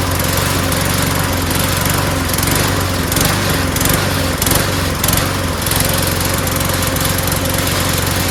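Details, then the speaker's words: Lawn mower small engine buzzes but stumbles and dips unevenly after a new part with an O-ring was fitted. Rough, sputtery running; owner doubts the carburetor and suspects cloudy, water-saturated old gas mixed with two-stroke oil. "foreign you know it doesn't sound so good it sounds sputtery so I don't think it's the carburetor"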